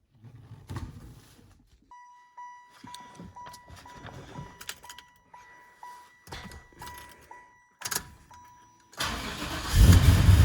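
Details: 1994 Impala SS with blower, after replacing the Racetroix fuel pump relay to fix an intermittent fuel pump fault: a ticking chime, then quick cranking that catches into a strong, even run, with healthy fuel delivery.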